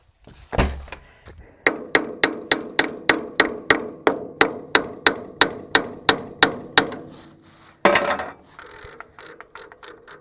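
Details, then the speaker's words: Old tractor, battery around 11 volts: sharp regular ratcheting clacks about three a second while cranking, starter slipping instead of turning the engine; owner suspects the starter fried, solenoid doubted, new solenoid later fitted. "I think I fried that starter did y'all hear it it it sounded different didn't it I think for sure"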